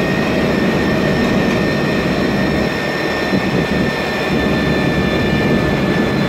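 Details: MAN Lion's Classic city bus, 2007, MAN E2876 LUH03 EEV turbo CNG engine, Voith DIWA 864.3 4-speed automatic: a fixed high-pitched whine holding constant over steady engine roar, from a noisy automatic gearbox.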